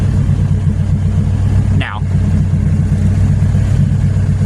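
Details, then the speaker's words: Honda Civic K20Z3, naturally aspirated, no idle valve, preliminary tune after wiring fix: steady even low idle just after start, smooth pulse, no misses or surging; air-fuel stable as post-start enrichment decays, normal idle. "and then it's decaying decaying decaying. And it should be over by now. The air fuel stayed stable. That's a really good thing."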